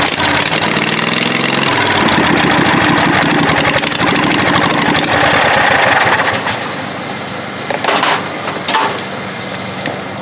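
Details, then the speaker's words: Murray riding mower's 22 HP twin engine: catches and settles into a deeper, even two-cylinder beat that picks up with throttle. Normal running on both cylinders. "so here we go let's see if it sounds like a twin definitely got a deeper tone"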